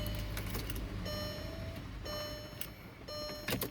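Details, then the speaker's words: MK4 Golf/Jetta 1.8T GTI after installing a DeatschWerks DW65C uprated fuel pump: three short, evenly spaced electric hums at key-on; the fuel pump is priming normally. "going to attempt to uh prime it so all right so I can hear the fuel pump"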